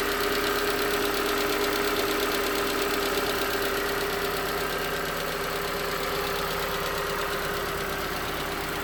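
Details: 2019 Hyundai Tucson 2.0L GDI Nu, 24,000 miles, cold idle on Mobil1 5W-20: dull steady knock about three beats a second over an even hum, suspected piston slap when cold; switching to 5W-30 later only slightly improved it.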